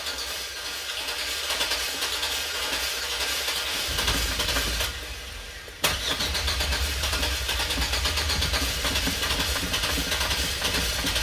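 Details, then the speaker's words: 2005 Chevy Express van, 4.3 L engine, cranked but wouldn't start; distributor cap and rotor were corroded and redone: uneven starter churning drags on several seconds, falters, then catches and settles into a steady run; hard long-crank start, no check engine light. "See, before it only cranks but it doesn't start. Wow. Now you can see it's trying to start."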